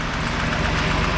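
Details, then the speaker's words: Nissan R31 Skyline TI at idle after exhaust repair: a smooth, steady idle with a faint intermittent high chirp on top. Squeak at idle; owner suspects a squeaky tensioner pulley, not confirmed. "oh he's running so good actually I think he's got like a squeaky tension to pulley or something"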